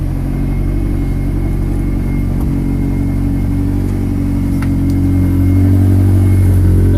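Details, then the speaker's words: Supercharged (Sprintex 335) 1.8L VW with light flywheel, idling with clutch let out: loose uneven knocking rattle under the drone, transaxle gears clattering like a box of rocks. "trans axle's got a lot of knock to it sounds like a box of rocks"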